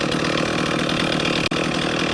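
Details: Stihl MS311 chainsaw rebuilt with an aftermarket piston and honed cylinder after burning up, fresh start during break-in: crisp, even high-pitched two-stroke buzz at steady speed, no misses or rattles; fires up and runs normally.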